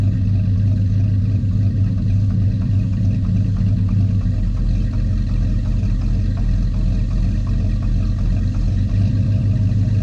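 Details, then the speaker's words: 1984 Chevy truck, revived after two years dead, running without the air cleaner: an even, deep rumble with a brief rev blip and no knocks or misses; it runs clean and healthy. "oh God it sounds good all right see what you do sounds good well that sounds good"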